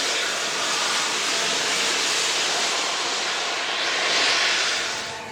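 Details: Steam locomotive Repton No 926 on the NYMR moving under its own steam after overhaul, 28 July 2017; loud steady steam hiss with gentle swell and fade, no knocks or clanks; healthy normal running.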